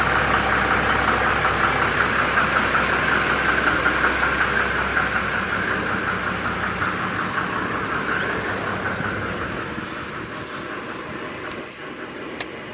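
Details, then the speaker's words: Mercedes OM603 diesel, 422,000 miles, after radiator flush, new thermostat and gasket following an overheat: even, steady diesel clatter at idle with regular beat, no misses or knocks, gradually fading; engine idling healthily. "The engine's looking pretty good. And, you know, again, the thing is, the car's got 422,000 miles on it."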